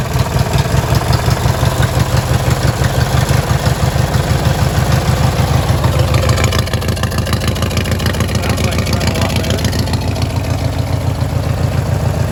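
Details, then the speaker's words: Li'l Red twin-cylinder tractor, choke still not working right: loud, even low thumping at steady speed with no stumbles or misses; running is clearly improved, normal. "i don't know if you can hear me but that was a definite change in running so uh i'll call that good"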